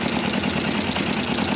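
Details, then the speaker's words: Kawasaki GPZ 500 cafe racer twin, hard to start, idling lumpy and uneven with a shaky throb and heavy vibration after idle mixture screw adjustment; carburetors badly out of balance. "La verdad que está bastante descompensado. Está bastante descompensado. Lo único que es que vibra mucho."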